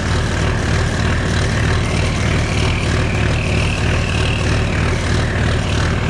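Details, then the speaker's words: Oliver 1950T tractor with a 310 diesel engine, started cold at 20 degrees after the starter was repaired: a steady crank and the engine fires with a deep rumble. There is no grinding from the starter gear, so it is a normal start. "just how it's supposed to sound not too bad of a start for 20 degrees out"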